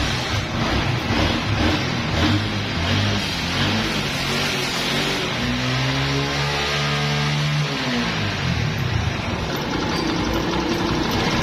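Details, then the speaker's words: 70cc bike after cleaning and oiling a dirty air cleaner (the cause of misfiring) and a slight mixture adjustment: a steady, even single-cylinder idle with no skips or stumbles, no longer misfiring. "उसके बाद bike को test करके check किया है bike missing वगैरा भी बिल्कुल नहीं कर रही"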